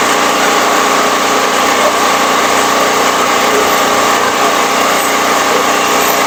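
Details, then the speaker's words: Firman 3650 W yard-sale generator, choke on: even steady drone with no misses or hunting, slightly slow, owner plans to raise it to about 61–62 Hz; normal running with idle slightly low. "but it's uh it's a quiet running machine I think it's a little bit uh low on the RPMs I may turn that up a little bit"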